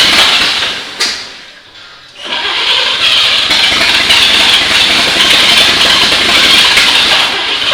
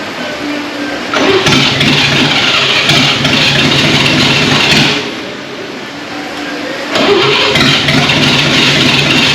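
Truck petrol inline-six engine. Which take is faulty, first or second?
second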